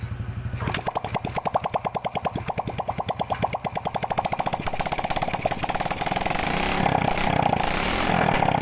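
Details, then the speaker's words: Grand motorcycle with the exhaust removed, after fixing carburetor spit-back: starts, settles into an even putter, then climbs smoothly on throttle with no popping back; power and sound back to normal. "Sini kasusnya sudah aman, dan tenaganya juga sudah pulih, suaranya juga sudah normal kembali."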